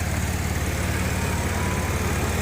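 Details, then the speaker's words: Audi A6 3.0T, first start the day after installing an 034Motorsport high-pressure fuel pump piston upgrade. Low, smooth, even idle with no ticking, tapping, knocking or hissing and no leaks: normal idle. "But so far so good, no leaks, no sounds."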